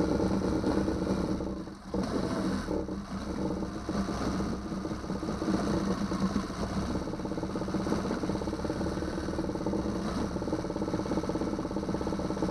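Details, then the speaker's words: 2009 Yamaha 6 hp four-stroke outboard after no-start troubleshooting and an impeller change: settles into a steady even idle with no knocks or misses; water cold, cooling water shoots far out the back; running fine. "Started the motor. Water shoots out in the back really far too."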